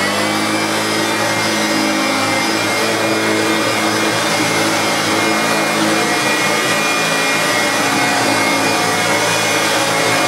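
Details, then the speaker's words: Hoover Turbopower Autoflex U2198 upright vacuum after refurbishment (new old stock Hoover belt, brush roll, new bulb), previously two seized motor bearings; now a constant, even motor roar with no grinding or rumble, running perfectly. "absolutely spot on there is that is working perfectly out with its brand new belt and brush roll and"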